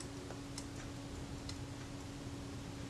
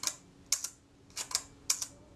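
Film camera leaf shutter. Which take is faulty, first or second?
second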